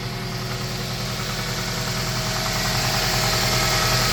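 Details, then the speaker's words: 2001 Toyota Tacoma Prerunner, about 220k miles and little maintenance, after repair of P0303 misfire code with new coil pack: even, steady idle with regular pulse, no misfire; owner says it hasn't run this good in a long time. "oh yeah she's running good she haden't run this good in a long time"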